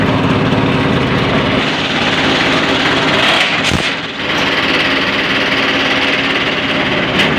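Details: Vehicle with a 430 engine, 24-volt system, not charging; steady diesel clatter at idle, even beat, no misses or knocks; alternator was fine, fault was in the wiring; normal idle.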